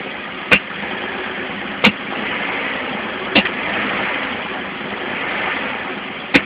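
A steady idle broken by sharp, irregular pops every one to three seconds suggests a misfire, though the cause is not clear.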